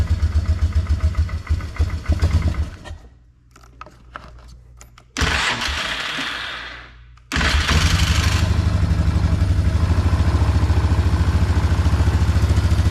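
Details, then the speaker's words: 2004 Polaris Trail Boss 330 ATV bought at auction, water in fuel system, float bowl drained, started on mediocre battery with charger; cranks, stumbles, catches, settles into even single-cylinder idle about 3.5 beats per second, gets snappier, runs fine. "it doesn't run too bad we'll have to see when we actually are able to ride it if it's if it needs any more work in that carburetor but it did seem like once it ran a little bit it started getting a little snappier"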